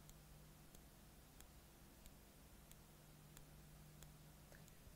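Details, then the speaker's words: 2012 MacBook A1425 logic board, no liquid damage, microphone held over the board: faint sharp clicks about every two-thirds of a second over a low hum; suspected coil vibrating under a short or bad MOSFET on a cycling power rail. "typically that's either a coil or MOSFET so if we have a short sometimes a ma is when that circuit goes under load that coil is gonna vibrate a little bit and you're gonna hear that click"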